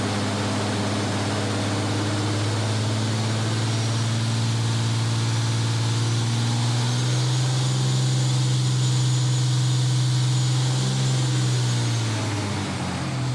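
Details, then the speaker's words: 2005 Dodge Ram 3500 5.9 Cummins after replacing seized water pump, belt tensioner and fan belt, warming up: even low diesel rumble with faint fan drone, no squeal or knock; normal idle, coolant circulating and heating cab. "I ran it for a while. Got some engine temperature coming up heating the cabs. Everything seems to be circulating."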